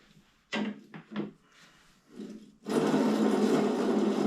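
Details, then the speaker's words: 1975 Schwinn Suburban 5-speed: after a few handling knocks, the spun crank gives a dry, gritty, continuous grind from pitted bottom bracket cones that won't be reused; the gear also has problems, and new bearings and grease are planned. "And this is the sound of cones that are not going to be reused again."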